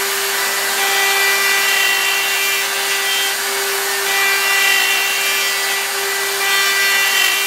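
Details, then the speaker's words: Router milling an aluminium upper receiver: steady high-pitched scream with a harsh rattly edge as the cutter bites; chatter because the end mill sticks too far out, even though it is supported by a bearing. "that ml is really no it's sticking pretty far out you can hear the chat or even though it's supported with the bearing there it's still a lot endmill sticking out"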